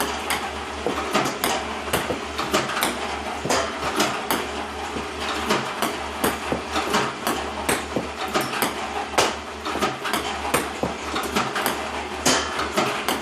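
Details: iPong Pro ball launcher, 4 weeks old, about 2 hours run time, clean Joola 40mm balls, power cord fully plugged in: uneven clacking and thumping from the feeder at irregular gaps; misfiring increasingly often.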